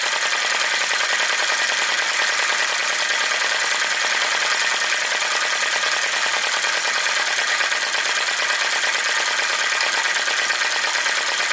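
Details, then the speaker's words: Flame Licker Flame Gulper VE-01 crossbeam vacuum engine with drive pulley, after driving a Baker fan, now running with no load: fast even light chatter with steady airy rush, no heavy knocks; normal running, no load. "but it definitely uh it definitely ran it just such a nice engine run of it there it goes with no load"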